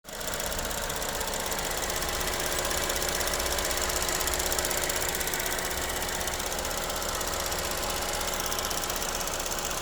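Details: Vauxhall/Opel Corsa E at idle with a constant, fairly light, tinny metallic rattle on a quick uneven beat; source not identified.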